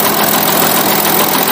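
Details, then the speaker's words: 2016 Audi Allroad, 3.0 V6 turbo diesel, about 55,000 km, at idle: harsh scraping grind and knocking on the right/passenger side; inspection found worn camshaft gears with chipped teeth and a broken intermediate gear tooth. "В общем, идет, слышен такой скрежет, шум непонятный в работе именно с правой стороны, с пассажирской стороны. Грешим на распредвалы."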